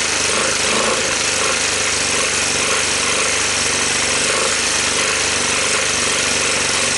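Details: 1986 Honda TRX250 ATV with low compression, cold-started on starting fluid after new starter and gears: harsh clattering with heavy mechanical rattle beyond valve tick, smoky, shifter not engaging; engine judged not savable.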